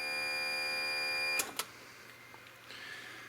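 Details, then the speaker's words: 1994 Geo Metro converted to a Kubota D1105 three-cylinder diesel, with a newly installed fuel lift pump. At key-on it gives a steady high electric buzz for about a second, then cuts off cleanly: the lift pump is priming normally. "and she's the working all right so we'll just turn the key on here you can hear it back they're"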